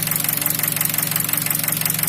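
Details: 2003 Nissan Wingroad, QG18DE petrol, automatic, AWD, hot idle at 90°C and about 700 rpm with lights on: a sharp, even knock about eleven a second; oil pressure 0.15 MPa at idle; cause not confirmed.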